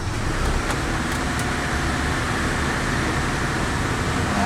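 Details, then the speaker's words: Toyota Kijang Super with freshly adjusted contact-breaker points idles with the AC on, giving a low, steady rumble with no misses or surging; RPM sits a little over 1,000, which is normal. "AC hidup teman-teman Apakah normal yang angka satu lebih rpm nya halo teman-teman Biasanya kalau saya gunakan dia tidak apa-apa tidak masalah"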